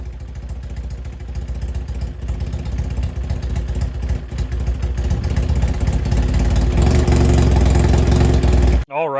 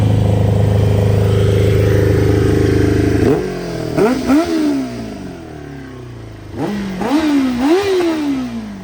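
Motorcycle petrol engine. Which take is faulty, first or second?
first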